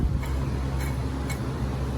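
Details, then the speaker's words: Removed water pump from a Dodge Grand Caravan, spun by hand near the microphone: faint dry ticks, about two a second, over a low hum from the failed bearing. The pump was also leaking across the belt, causing squeal and overheating; it was replaced. "Anyway, the bearing's gone in it, so let's go get a new water pump."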